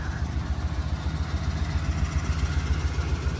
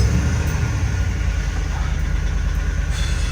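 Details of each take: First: Ford V8 bucket van bought inoperable at auction, now running but slightly down on power: steady idle with a light, regular tick about three to four times a second. Owner suspects an exhaust manifold leak. Ticking at idle. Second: Auction bucket van, previously inoperable and running badly, first start after repairs including refitting the doghouse: low, even rumble with a steady idle, no knocks or misses; computer may need time to relearn.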